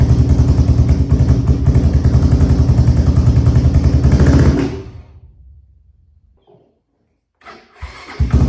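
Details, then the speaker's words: Honda 400EX quad, previously locked up, first start after a new oil pump and oil cycling, started by jumping the solenoid: strong, even single-cylinder thump for four seconds, no knock or rattle, normal running; a header leak is noted. "all right it seems to be doing great it's not leing o or anything so this thing runs great"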